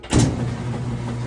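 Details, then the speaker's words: Maytag direct-drive top-load washer, fourth test load, full water level: steady low motor hum with strong, even agitator kick back and forth, no grinding or knocking; normal washer agitation. "you can hear the agitator running a nice strong agitator kick to it which is the motion of this running kicking back running kicking back which vortexes those clothes along these fins down the bottom fins and back up the side"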